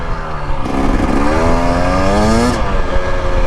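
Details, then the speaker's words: 2025 Husqvarna TE250 two-stroke on desert trails: revs climb cleanly, then a brief dead spot stumbles and sags mid-throttle through second into third; fuelling seems rich or loaded up in that part of the mapping, cause suspected, not confirmed. "just a little bit got a hiccup. It's a little dirty there in that spot. Almost like if there was a carb bike, you would think it was a little too rich."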